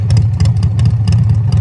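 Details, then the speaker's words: Harley-Davidson Evolution chopper before rebuild, idle: lumpy V-twin idle with sharp light tick on each firing pulse; tech thinks noise transfers from top end through pushrods to lifter, also notes oil pressure loss, possibly gauge; unconfirmed. "the noise sounds like it's transferring from your top end down through your push rods, down to your lifter."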